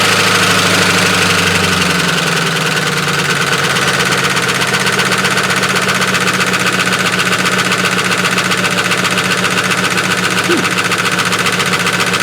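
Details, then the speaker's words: Range Rover after restart, previous day's no-start: loud, harsh clattering racket over the idle, about four beats a second, steady throughout; owner suspects something on the fan catching, unconfirmed. "In the meantime, I'll have a look. It sounds like something on the fan's catching."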